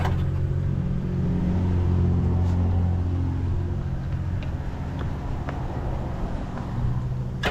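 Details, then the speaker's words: Jet boat two-stroke with freshly rebuilt carbs, running on a water hose after choke and fuel to clear cobwebs: smooth drone holding steady revs, no stumbling or popping; running real good. "I'm going to go ahead and shut her get this water hose off she's running she's running real good too oh that's amazing that's amazing"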